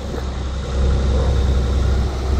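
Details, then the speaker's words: 1992 Nissan 300ZX twin turbo, first start in 16 years after new injectors: deep, even idle with a steady low rumble, no misses, knocks or hunting, no check engine light; running smoothly and healthy. "pretty good sounds healthy fufu damn sounds real good everything seems pretty fine"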